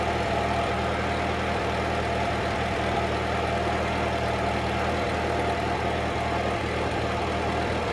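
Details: 1946 Ford 2N tractor under restoration, idling after a battery fault was found as the cause of earlier trouble and charging confirmed on the gauge: even low chugging idle with a steady beat, no knocks or misses; healthy.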